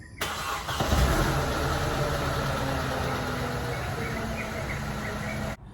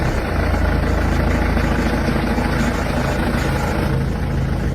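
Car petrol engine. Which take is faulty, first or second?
second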